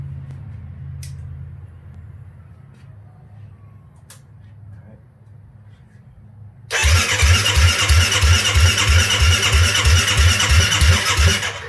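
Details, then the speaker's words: 2008 Kawasaki KFX450R fuel-injected single, restored after sitting outside for years. First start without the muffler (exhaust packing not yet fitted): it catches quickly with little cranking and runs as a loud, even unmuffled thump. Runs cleanly. "hell yeah dude that's awesome man that was like uh didn't really have to crank over that much either oh well dude the pleasures of fuel injection"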